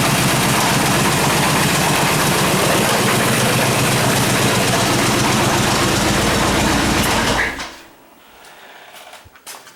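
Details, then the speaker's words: Chevrolet Suburban engine running, plugs and wires already replaced: even light tapping about four a second traced by ear to one exhaust-valve rocker, persisting when plugs pulled one at a time; valvetrain ticking, cause not yet found. "that's the uh The Rocker that I'm the noise I'm it's coming from this this this rocker so I'm not sure what's going on yet"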